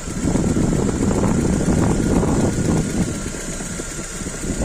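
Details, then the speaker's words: Engine idling with oil filler cap off, water/foam found in cap from cold condensation: light busy patter tied to engine speed; normal camshaft oil splash onto valvetrain, nothing wrong. "الكامات هذك يب يطيش في الزيت السبات وع البورات على البسات وعلى الكبيتر باش يزيت عادي ما تخافش منه ما فيها شي"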